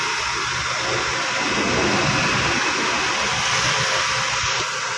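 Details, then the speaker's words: 2017 Nissan Almera after replacing the seized AC compressor that made noise when AC switched on; even steady airflow roar, no rattle, squeal or cycling noise. Cooling is restored to normal. "Yan, umikot na ulit yan. Ibig sabihin napakalamig na ang ating system."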